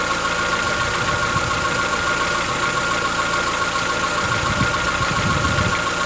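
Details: Chevrolet Onix 1.4 petrol, 2014-15, cold idle: fast light tick over the hum, steady with the idle, lasting about 10 minutes after a cold start. Present since new. Owner suspects a tappet or internal-part knock, not injectors; dealers call it characteristic.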